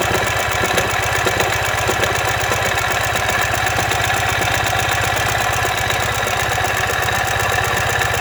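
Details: 2015 Ural Ranger at idle: a dense, fast, rattling knock under the exhaust beat, caused by a collapsed front crankshaft main bearing.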